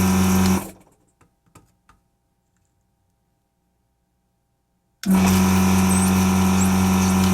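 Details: Vacuum pump on a variable-speed drive runs with a steady low hum at constant pitch, stops, then restarts at the same even pitch without bogging, lots of suction; normal running.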